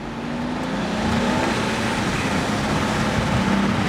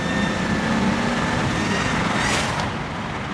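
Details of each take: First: N54-swapped BMW 335i E91 wagon on new tune, after tightening loose hose clamps: hard steady pull with strong even roar over road noise, no hissing or flutter; normal turbo acceleration, very fast. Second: BMW 335i E91 wagon swapped with a rebuilt N54 twin-turbo, about 1500 miles since rebuild, first drive on new tune, windows down: thin high whistle like blowing on grass rides over the engine under boost and sweeps upward; boost leak, black smoke seen.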